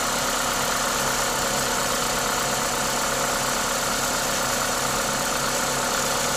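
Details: Toyota 2ZZ-GE petrol engine at normal idle: even idle with loud steady hiss from the induction kit, no knocks or misses; engine sounds healthy.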